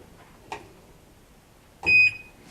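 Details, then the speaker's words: Whirlpool Duet Sport front-load washer after baking its control board to reflow solder for an F-1 main relay error during final spin: one short high beep with faint clicks; normal end-of-cycle buzzer. "And that's the buzzer, so it buzzes when it's done."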